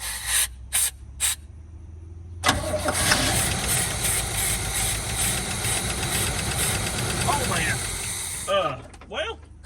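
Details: 1973 Chevy K5 Blazer, factory 4-speed manual, 350 V8, first start after sitting about 30 years: a few short cranking bursts, then it catches and runs steady with a slightly uneven idle; the oil filter was found leaking afterward.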